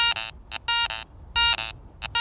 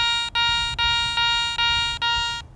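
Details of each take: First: Garrett ACE 400i metal detector, some iron discriminated out, iron audio on, bench test over a bottle cap; choppy bursts of high buzzing tone with grunting edges, iron grunts showing it is not a good target. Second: Garrett ACE 400i metal detector, iron audio on, bench test over a Roman coin; six crisp identical high beeps about every 0.4 s with no low grunts, a clean non-iron good-target tone.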